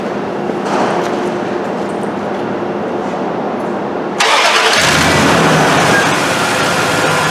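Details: Dodge pickup 4.7 V8 with the check engine light on, checked with a vacuum gauge before a rebuild; vacuum reads a healthy 17–20 inHg, yet the engine struggles. It fires into an uneven idle with a rhythmic stumble about three times a second, consistent with a leaking exhaust valve.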